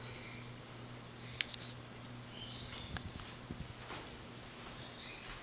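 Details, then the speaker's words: Restored 1984 Four Seasons Venair Seville 36-inch spinner ceiling fan on a new 3-speed wall control, running on low: a faint steady hum with light ticks and no wobble. It is much quieter than at higher speed, where it hums a lot. Normal operation. "still moves a lot of air and now low it's a very fast low now you can hear it's much"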